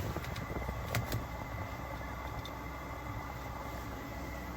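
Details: Webasto Airtop 2000 heater on its first start-up test in a Citroen Ami: steady even fan roar with soft low rumble, no surging or popping; normal running.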